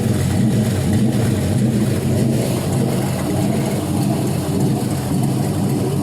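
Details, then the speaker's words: 5.3L LM7 Vortec V8 from a 2001 Silverado, iron block, 862 heads, LS1 cam, 151k miles, drive-by-wire, on a test stand at operating temperature with no transmission attached; steady, slightly lumpy cam rumble, mild surge from no load, no smoke; normal idle. "Sounds real good. It's got the LS1 cam in it, so it's got maybe a little bit more of a rumble than like a stock 5.3"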